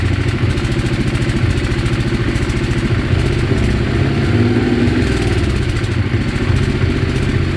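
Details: Weird engine sound: a fast, rattling clatter over the idle that keeps pace with engine speed, an abnormal noise of unknown source.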